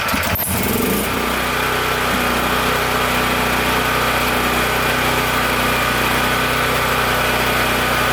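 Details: Powerstroke 6000 W generator with a 14 hp Honda-clone engine, after rotor repair and a governor adjustment made by bending the governor tab. Quick start, then a steady, even engine note holding constant speed under load with no hunting or knocks. Running healthy.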